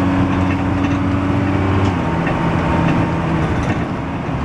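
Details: Dennis Dart SLF bus, First Manchester 40395 R269SBA, February 2012: big diesel idling with an uneven, lumpy beat and a wavering drone that shifts pitch; rough idle, cause unclear.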